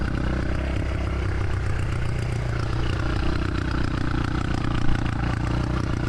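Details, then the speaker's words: 650cc single-cylinder motorcycle after hard kick-starting on a wet riverbed ride: ragged, lumpy running with skipped firings, must be kept revved to stay running; no blue smoke, air filter made no difference; engine misfire, cause unconfirmed. "we finally got it running again but it wasn't running well so you can hear the misfire we have to keep it revved up or it won't stay running"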